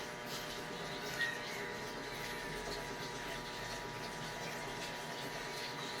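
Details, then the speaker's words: 7 kg automatic washing machine after board repair: steady even rush of filling water with a faint motor hum, no knocks or rattles; the washer fills normally. "Pumapasok na yung tubig niya. Hintayin natin mag-wash kung magwa-wash siya."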